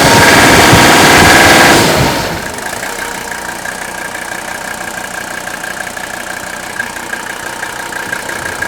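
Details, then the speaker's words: Old Mercedes diesel, 167,000 miles, mic close to engine: loud burst, then quiet even diesel clatter at steady idle, no knocks or misses; smooth, healthy normal idle. "so much smooth airs so much white and of course hey more powerful this is a really sweet running engine with only a hundred and sixty seven thousand miles on this season's just barely broken air"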